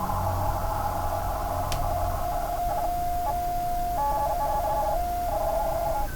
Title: Corsair GS600 PSU strange noise